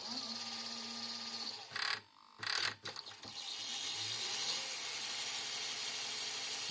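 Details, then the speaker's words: Philips VR400 VCR Turbodrive tape mechanism, repaired after a broken gear, runs with a steady small-motor whir and hiss plus a few sharp clunks as it shifts; working normally but somewhat noisy, unlike a previous unit. "alors oui il fait faire du bruit j'ai constaté c'est marrant le deuxième que j'ai fait il faisait aucun bruit si là il fait du bruit"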